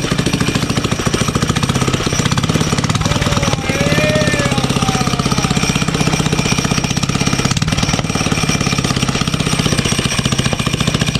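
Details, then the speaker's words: Drift go-kart engine with no exhaust fitted: rapid, sharp, crackly pops over the idle. It is backfiring, which the owner attributes to the missing exhaust. "dude this thing is backfiring look huh well it's cuz it doesn't have it it doesn't have an exhaust"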